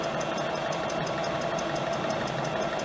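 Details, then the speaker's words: Compressor block EPKU-1.7 after repair (connecting rods, pins, rings, cylinders replaced), 40 minutes into break-in run: steady, even mid-pitched drone with light regular valve patter, no knocking or extraneous noise, temperature normal; healthy running. "Посторонні шуми відсутні. Температура також в нормі."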